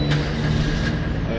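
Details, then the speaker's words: Used small petrol car in a showroom with 75,000 km, just started: steady, even low hum with no knocks or misses; engine idles very smoothly. "Nah, suara mesinnya pun masih sangat halus sekali teman-teman."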